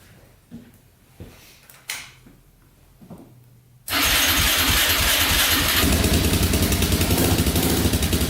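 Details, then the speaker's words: 2004 Yamaha Raptor 660 quad, rough Marketplace buy, started after carburetor refit, cleaned gas tank, fresh fuel, new gas line, straightened exhaust and an added quart of oil: catches after a few clicks, quick even putter, no misses, no smoke, idling perfectly. "Not smoking. Idling perfectly. Alright, that's awesome."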